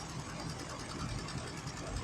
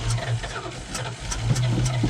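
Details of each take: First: 1984 Dodge D150 Prospector V8 idling after sitting parked 20 years: rumble with a quick light tick, owner suspects a missing and broken top exhaust manifold bolt causing a manifold leak. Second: 1984 Dodge D150 Prospector V8, revived after sitting about 20 years: starts, stumbles briefly and catches, then settles into a steady, even idle with no miss or knock, likely running on fresh gas mixed with old tank fuel. Normal running.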